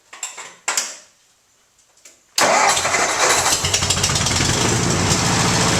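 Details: 1958 Ford 841 Powermaster tractor after replacing failed water pump that caused severe front scraping rattle: cranks briefly, catches cleanly, settles to even idle with steady pulse and no rattle; healthy.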